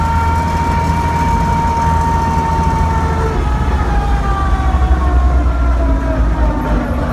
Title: 1941 DODGE WC12 transmission noises (WHINE) - PART 2 04-22-19